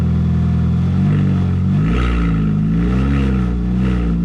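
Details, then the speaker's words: R53 Mini with no exhaust fitted, running after being primed to fix a no-start: deep, raw open-pipe roar that revs up smoothly and settles back evenly; engine runs clean with no misses. "we love the sound of uh we love the sound of it without the"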